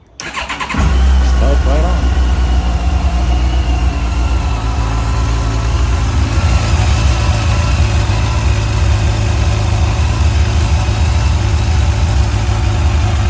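Cranks for under a second, catches at once and settles into a steady, even idle with no misses; starts and runs normally.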